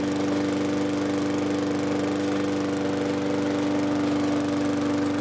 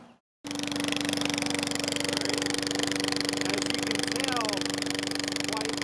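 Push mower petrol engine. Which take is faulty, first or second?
second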